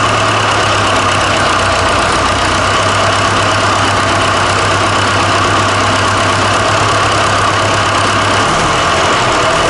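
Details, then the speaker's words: Fordson Super Major diesel tractor, first start after fitting replacement engine: steady even idle with firm low beat, no knocks or misses, picked straight up; normal idle. "yeah that was good though wouldn't it yeah that sounded nice and it picked straight up"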